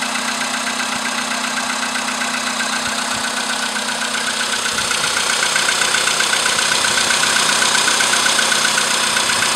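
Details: VW Polo sedan with CFN engine, cold morning start after a night at about 10°C outside: a crisp, very regular knock at nearly four per second over a steady idle, growing slightly louder; engine knock.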